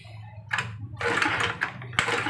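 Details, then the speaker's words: Honda Beat FI whose electric starter also fails: three kick-start bursts with throttle, and it never fires. Suspected faults include the fuel pump, camshaft, leaking valves and a weak coil. "Nah, ini nggak mau hidup ya guys ya. Ini sambil digas juga coba diengkol lagi. Ini nggak mau hidup guys."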